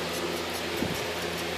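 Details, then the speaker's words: Propane recovery rig after refrigerant sight glass failed and opened a hole: with the compressor shut down, steady, even hiss of gas still rushing through the line; owner unsure whether the compressor is still turning. "the compressor is shut down and you can actually hear you hear that or not sounds like it's still turning and I don't know if that can be possible or not but there's definitely gasp pushing through"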